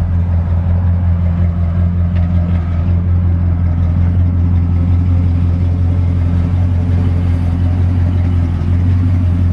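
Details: Chevy 305 5.0L V8 with dual exhaust, idling just after new spark plugs and plug wires in a winter tune-up, run outside; deep, steady, even burble with no misses or ticks, running nice and smooth now: normal idle.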